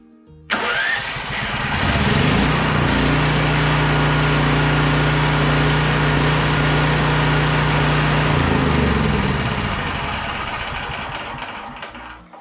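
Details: Champion 5500 W generator after maintenance (oil changed, filters and plug checked, new battery, hour meter fitted, valves untouched): started a second time, fires at once, steady even drone with no misfires or knocks, clean shutdown.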